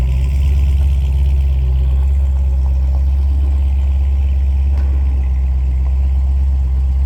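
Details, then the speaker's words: 2006 C6 Corvette Z06, stock, cold start just out of 60-degree climate-controlled basement on 100-degree day; deep, steady, even idle, smooth low rumble, no knocks or misses; healthy cold-start idle. "Just backed the car out of the basement. Cold start."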